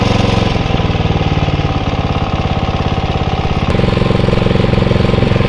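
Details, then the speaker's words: Atco Royale B24E cylinder mower single-cylinder engine after carb clean: steady even beat, revs sag briefly as drive takes up then recover cleanly; holding speed under load. "so I think that's a lot better you hear it's like when you engage you see the ribs just sort of do go down a little bit but then um it just picks right up and seems to be okay"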